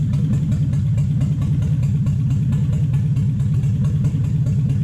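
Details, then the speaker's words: Toyota/Lexus 1UZ-FE V8 on the Spitronics ECU during setup. Low, lumpy, stumbling idle, missing one cylinder but still idling; the idle speed is raised afterwards. "Missing a lung, down on 1 cylinder, still sits and idles."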